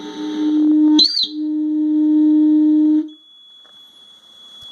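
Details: Steady electronic tone from the pedal hums loudly, breaks once, returns, then drops to a faint high whine; owner suspects faulty electronics, not confirmed.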